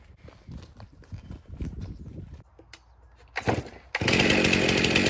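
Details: Stihl MS362 chainsaw, 7 years of hard use, in for hard starting and low power, test after service: fires and holds a loud, steady, high-pitched buzz without stumbling; starts good, runs excellent, also tested cutting hardwood.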